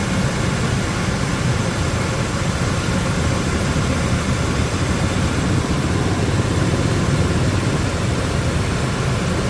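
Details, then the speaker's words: 2003 Ford Expedition 5.4L Triton V8 at idle, just restarted after replacing the heater valve, flushing and refilling with 50-50 green coolant; smooth, even idle with a steady low rumble and no knocks, ticks or stumbles. Sounds real healthy, normal idle. "That sounds real healthy."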